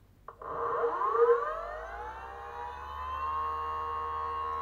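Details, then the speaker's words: BLDC 6384 140kv motor on e-bike controller, phases color-matched for forward rotation: whine sweeps up on spin-up then holds steady, no clicking or roughness; smooth quiet normal startup. "now we're going to have four rotation watch this nice and smooth start up right quiet and smooth"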